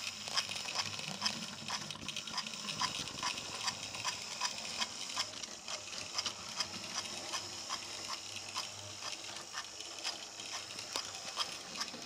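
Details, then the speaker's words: Repaired DC analog A3 6039 "Sandwich" locomotive from Talisman train pack, after fixing pickups and tender wire: thin high primitive motor buzz with light clicking about twice a second, running smoothly. "If I don't talk, you'll just hear it running smoothly backwards and forwards. When I say running smoothly, you can hear the motor. It is a very primitive motor if you look at the other videos of it taken apart."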